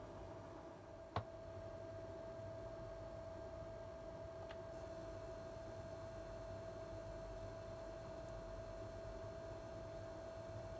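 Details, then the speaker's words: PlayStation 5 while running PS5 games and switching to the menu: faint, steady, high-pitched whine over quiet room hiss, single tick near start; owner suspects coil whine common to all units, barely heard with PS4 games. "So yeah, I think Coil Whine is a thing, and I think that all the PlayStations have them."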